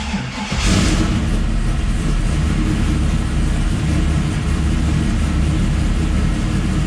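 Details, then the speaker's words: 1969 Camaro with custom EFI conversion, after replacing a failed Aeromotive 11569 in-tank fuel pump: quick crank, fires right up, steady even rumble with no stumbling. Fuel delivery healthy. Normal start and idle. "beautiful that's what we want"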